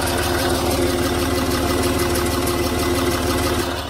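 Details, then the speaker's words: Land Rover Discovery 3 TDV6 diesel at idle, after years on wrong oil and low oil pressure: light rapid clicking, about three per second, louder on one side than driver's side; rattling tick of unknown origin. "The car has, in my opinion, developed a new noise. It's not on the other side, this noise, so it's only here. Let me show you again. It's like a little rattling or a clicking noise."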